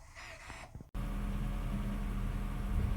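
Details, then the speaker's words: Honda Fit, 241,194 km, robotized gearbox after repair: after brief pause a steady even low drone with no clunk or grind as the gearbox takes drive; normal gearbox engagement. "тык, тык, тык. Все, пошла. Нормально, слушай, прошла. Все хорошо."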